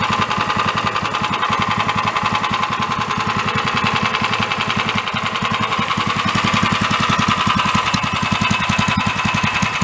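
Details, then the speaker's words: Free 13 hp Honda-clone single-cylinder engine on a go-kart build, after valve adjustment, warming with choke: sharp regular knock three to four per second over revving, growing louder the longer it ran; engine failing. "as it was running the more it ran the more started knocking so the engine is I do believe going kaput so that's got an issue"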